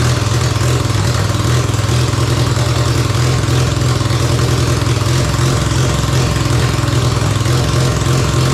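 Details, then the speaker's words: Mazda 12A rotary from a barn-find RX7 that sat for years: carb solenoids powered but it won't draw fuel, and it runs rough and choppy only on starting fluid, cutting out when spraying stops though the float chamber has fuel; carb fuel starvation suspected. "and then the minute I stopped with the starry bar so that it just cuts out even though the uh the float chamber's got fuel in it and stuff"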